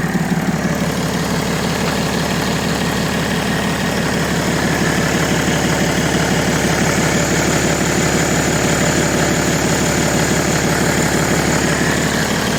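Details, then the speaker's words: BMW E90 325d/330d with M57 diesel at idle after refitting the original accessory belt: a steady idle with an even beat around three per second and no squeal or chirp; the belt noise is gone. "Bueno ya vemos que el cambio de correa le ha sentado bien porque ahora no mete absolutamente nada de ruido"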